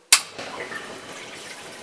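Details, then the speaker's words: Renault 5 Maxi replica with V6 turbo during coolant circuit bleeding. The electric water pump is switched on: a sharp click, then a soft steady rush of water through the hoses as the level drops. Coolant is circulating normally. "Donc la LED s'allume et vous entendez. Ça circule. Et donc là, vous voyez mon niveau d'eau qui descend."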